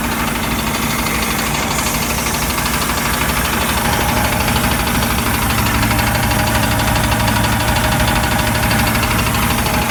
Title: 4.3 LX Mercruiser tapping / knocking sound rear of engine